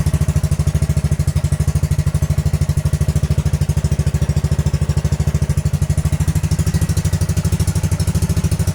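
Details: Honda Grom motorcycle, first start after an ABS module delete/bypass with re-wired leads: engine catches at once and settles into an even, steady low thump with no knocks, misses or rattles; a healthy idle.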